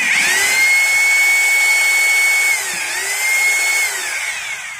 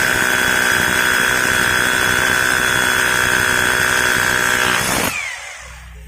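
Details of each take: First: Maktec MT870 rotary hammer drill in concrete mode with a screwdriver locked in the chuck: high, smooth motor whine that dips and recovers, no pulsing blows and no vibration felt in the hand. The concrete (hammer) mode isn't working. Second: Maktec MT870 rotary hammer after repair of a no-hammer fault, drilling concrete with an SDS bit: steady, loud, high-pitched drilling roar for about five seconds, then a short burst, running strong and even.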